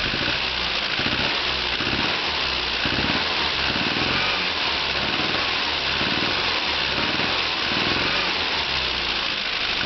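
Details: Mini engine running with sharp buzzy top end and faint rough pulsing; extra noise obvious on acceleration, disappears at steady revs, stalls when choke fully off; cause unknown.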